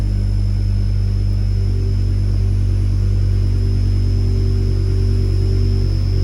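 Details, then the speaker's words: BMW M5 S85 with SMG and a tune, just fitted with a TTV lightweight flywheel, after adaptations, check engine light on: steady deep drone at start-up like an air pump; secondary air suspected but doubted because of the tune. "Because the tumbler has a tune, so that should not be secondary air, even though it kind of sounded like it, but let's see how fast it revs."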